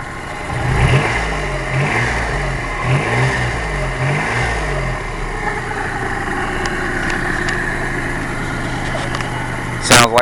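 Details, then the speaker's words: Freshly rebuilt 1992 Geo Metro Convertible 3-cylinder (.020 over pistons, new rings, new crankshaft, rebuilt head) revved up, settling smoothly with even slightly throbbing note, no knocks; slight inherent 3-cylinder shake, runs healthy, ready for break-in. "Engine shakes a tiny bit, but that's because it's a 3-cylinder Geo Metro. No matter how nice you make one of these cars, you're going to have a little shake to it."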